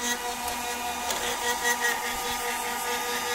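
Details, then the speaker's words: TBE 2000 W pure sine inverter on a 200 Ah battery: whirring fan hum with an uneven light rattle on top, noisier than normal fans; cooling fan rattle, possibly loose mounting. "that's quite noisy actually that in further stuff horrible sound it doesn't sound just like fans"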